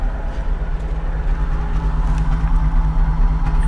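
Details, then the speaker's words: Vehicle at salvage auction, idling, moves in gear: low rumble with uneven stumbling pulses about every half second plus an odd noise; intermittent misfire, a pulley issue suspected, unconfirmed. "got an intermittent misfire definitely an intermittent misfire that noise to me sounds like maybe a pulley is having an issue"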